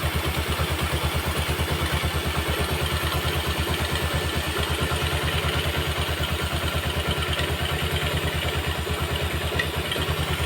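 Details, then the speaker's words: Yamaha Jupiter MX after repair for clattering and smoking (damaged piston block and conrod replaced): steady, even idle putter with no knocking or clatter, smooth regular beat; engine running healthy, smoke gone. "Ini hasilnya sangat halus bagi saya ini sangat halus itu"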